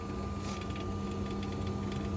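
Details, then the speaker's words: Combi boiler with a hot water tap open, diverter cartridge and head previously replaced: steady low hum, thin whine and faint rattling that continues with the boiler off while water flows; flow turbine/cartridge suspected, not confirmed. "what we'll do just turn the boiler off obious the flow of water is still going through the boiler you can hear it rattling away so that tells me it's obviously something to do with that flow cartridge"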